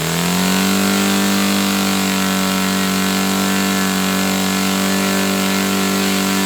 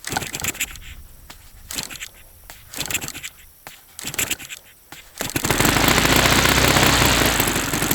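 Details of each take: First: Saito FA-300T twin-cylinder glow engine, glow driver off, high-speed needle set 2.5 turns out. Revs rise quickly, then hold a smooth, steady buzz with an even beat. Both cylinders are firing cleanly: normal running. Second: Saito FA-300T twin glow engine, cold start at low throttle on the original glow plugs, checked and glowing: lumpy uneven beat; running on one cylinder, cause unknown.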